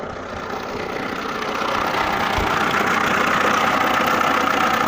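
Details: Lada Niva petrol engine after DIY valve clearance adjustment for valve tapping: smooth, even idle with no valve tapping; chain tensioner noted as worn, no chain rattle heard.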